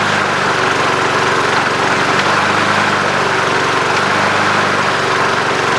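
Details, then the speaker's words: Junk single-cylinder mower with non-working electric start, started after oil was added following time on its side. It runs on at a steady, smooth idle and won't shut off; the stop mechanism under the cover is suspected. "well I'm definitely gonna have to figure out why it don't want to shut off but other than that seems to work good"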